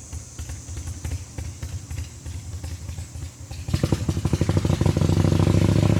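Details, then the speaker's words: 1985 Harley-Davidson Ironhead Sportster, just bought, ridden on the road: loping V-twin beat at low speed building into a firmer, faster pull, no knocks or grinding; runs pretty good, stiff shifting probably due to janky forward control linkage; rear-cylinder leak noted. Normal running. "yeah it runs pretty good it's not perfect uh goes up and down the road it stops it shifts you really gotta Wham the shifter to get it to shift"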